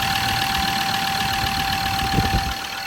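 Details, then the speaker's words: Ford Ranger 3.2L P5AT diesel, automatic, after replacing all injectors for ticking/humming and top oil leak, before injector recoding: idles steadily and evenly, no ticking or knocking. "Oh, that was good. That sounds good. No ticking noise."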